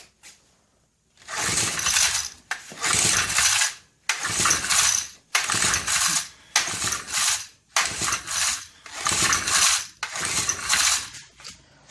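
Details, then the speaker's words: Vintage Honda E300 300-watt generator, about 1970, bought at swap meet; about nine hard recoil pulls, each a rattling whir that dies away with no firing; dead, no spark; owner suspects the condenser. "Well, we got nothing. She's dead. So, I think should do something about a condenser."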